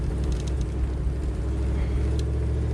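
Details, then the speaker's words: Vehicle running on woodgas only, no gasoline, system warmed up, under load: deep booming rumble with slightly uneven beats; mixture very rich, engine missing a little. "it's cuz it's so rich that it's actually missing a little bit"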